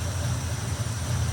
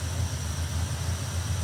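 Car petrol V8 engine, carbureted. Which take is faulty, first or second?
first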